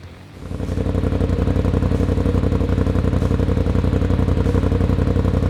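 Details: 2020–21 Polaris RZR Pro XP, new S&S PowerTune XTO muffler: engine catches and settles into a steady, even deep burble with regular pulses, no rattles. Normal exhaust note at idle.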